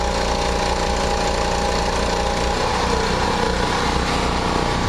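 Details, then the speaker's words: Backup generator during a storm power outage, holding 59–60 Hz, briefly pulled down when the air conditioner kicks in then recovering: steady speed but a loose, uneven low rumble under the exhaust note, not exhaust-type; source unclear. "it's not really surging um except when the air conditioner kicks in it it pulls it down and it comes right back up but it's it's got a rumbling sound not exhaust type but it's uh it's hard to explain you might be able to hear it"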